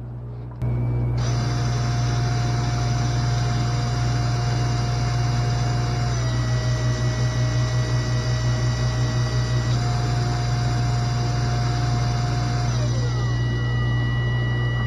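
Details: Newly installed SainSmart GS-775M spindle (rated 20,000 RPM at 24V) with a collet extension on a Genmitsu 3018 Pro, stepped from 10% to 100% speed: a smooth, steady motor hum with a thin whine stepping up in pitch; it runs cleanly.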